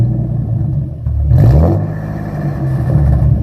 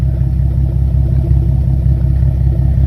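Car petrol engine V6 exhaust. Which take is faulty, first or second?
first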